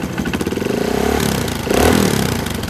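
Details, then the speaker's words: Single-cylinder motorcycle on a Juken 5 ECU, set to rumble idle about 70% with idle timing around 1250–1500 rpm, lopes and surges unevenly, speed rising and falling; deliberate rough idle from a rich idle setting, upper rpm normal. "Tapi ini suara mesinnya pincang, bro. Suara mesinnya tuh naik turun ya. Naik turun."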